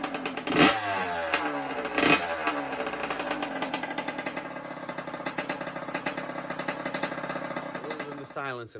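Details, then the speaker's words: 1982 Honda CR125 water-cooled two-stroke: two sharp barks on revving, then raw ringing buzz at idle; loud because the silencer is not attached and the expansion chamber is not bolted at the front. "let's see why she's noisy at the back end the uh the silencer isn't attached"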